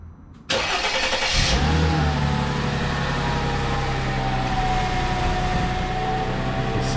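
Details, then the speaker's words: Mercedes ML W163 after starter replacement; it had ground after starting, from a bad starter bearing. It now cranks briefly, catches cleanly with no grinding and settles into a smooth, even idle. "like that starter was the issue as i thought it was and no more crazy grinding noises the vehicle starts perfectly fine sounds good"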